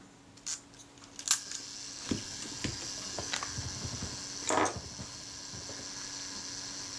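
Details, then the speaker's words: Retina IIIc camera after shutter service, self-timer test: light mechanical whirr as the timer runs down, small clicks, then crisp shutter release; smooth normal self-timer run. "i'll try the self timer"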